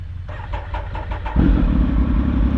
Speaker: Well, pretty much the same. It just goes to show that it's that kind of starting bike, because it always does that.